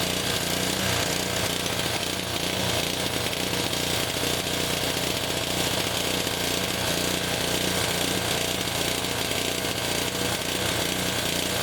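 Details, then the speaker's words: Honda HS520 four-stroke snowblower running on hand-primed fuel: harsh uneven clatter with a wandering beat, no steady idle; runs but not well, surging less on choke; throttle/choke linkage cap stripped. "Hey, we got an engine that runs. Doesn't run well, but it runs. So, that's a good start."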